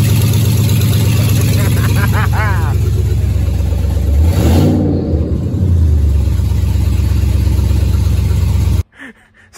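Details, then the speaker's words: Chevy Avalanche, cold start after sitting overnight, catalytic converters removed, about four inches of open exhaust, two O2 sensors connected: deep, loud, raspy rumble with a brief rev blip; sounds horrible. "that still sounded horrible it was super loud and sounded horrible"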